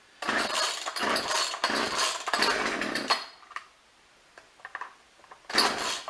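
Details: Craftsman chainsaw that would only run when tilted, after correcting the small fuel line that carries the filter: crisp two-stroke snarl in repeated revving bursts, picking up cleanly and dropping back. It now starts and runs properly.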